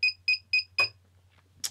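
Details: Naze32 flight controller with a piezo buzzer fitted: lost-model alarm, four sharp high beeps at about four per second, then silence, used to locate a downed craft.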